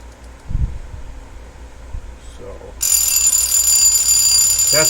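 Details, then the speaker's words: Westclox Baby Ben alarm clock, refurbished about 20 years ago, wound: loud, bright, continuous bell rattle at a steady rate without faltering; healthy alarm mechanism. "he sounds like when he goes off. Pretty loud for a little clock. And that could go on forever."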